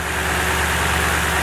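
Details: Truck idling during a Topdon ArtiBattery 101 cranking/charging test, rpm not raised to 2500: smooth, even low rumble with a steady beat and no knocks or misses; healthy idle, and the tester reads cranking and charging normal.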